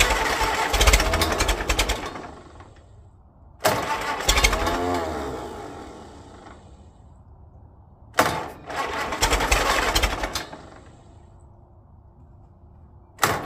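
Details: 1946 Case VAC tractor, first start attempt: engine catches in ragged bursts, sputters and dies back several times; rough running, owner thinks it needs cleaning out.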